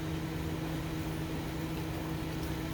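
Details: 2005 Honda Civic DX after rod knock repair with polished crankshaft: quiet smooth idle with steady low hum, no bottom-end knocking.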